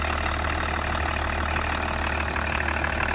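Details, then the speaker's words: BMW diesel at steady idle after being revived from a no-start. Loud but even clatter with no uneven knock or stumble; old engine running cleanly. "ну реально старый мотор конечно работает громко но работает чисто мне так кажется по крайней мере"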